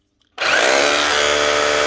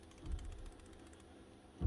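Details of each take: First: Makita 9069 9-inch angle grinder, about 20 years old, test run after fitting a new armature and brushes: it spins up to a clean, steady whine and winds down without rattle or grind, so the motor runs healthy. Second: Worn power tool ball bearing being shaken; it looks fine and turns smoothly, but a quick faint clicking rattle of loose balls is heard, then a dull thump; bearing is gone and needs replacing.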